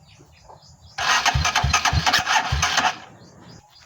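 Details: RC250 motorcycle at 34,000 that won't start with the push button, started by jumping the starter relay: quiet, then about two seconds of starter cranking with a few heavy low thumps as it fires and settles, a normal start.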